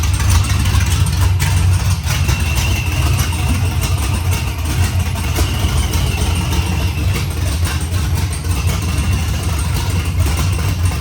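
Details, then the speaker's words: LS-swapped squarebody C10 with 408 LS2 and 91 mm TorqStorm TS91R supercharger, first start with no exhaust, small fuel leak still present. Loud, choppy, deep unmuffled burbling idle booming out of open headers. "That's enough of that, because that thing sounds like crap. Sounds like I'm either idling through the harbor in a boat or getting ready to enter the demo derby."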